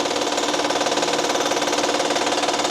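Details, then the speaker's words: 2012 Honda Pilot 3.5 L V6, customer reports clicking: fast even metallic rattle, loudest from below near the crank pulley at the engine front; failed timing chain tensioner suspected, engine near catastrophic failure. "This right here, that's the timing chain tensioner. I think that tensioner has failed."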